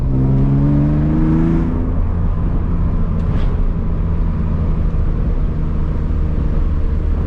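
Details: BMW E46 with M52 and new headers, muffler deleted, driven at higher RPM under load: loud raspy droning exhaust, small backfire, runs fine; resonator to be added.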